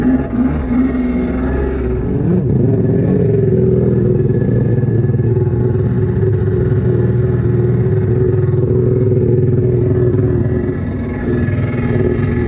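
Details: SuperFreak two-stroke watercraft after rebuild, in water, carb tweaked: uneven lumpy drone that never settles into crisp rhythm; running worse than before, faulty carburettors suspected.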